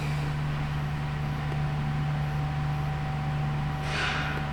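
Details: 2008 Ford Edge towed in with a no-crank and a flashing security light, now starting on a second key. The security light is out, and it settles into a steady, low, even idle hum with a brief hiss near the end.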